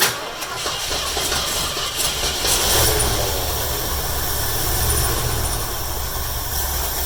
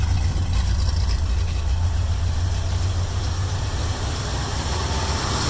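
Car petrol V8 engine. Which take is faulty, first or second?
first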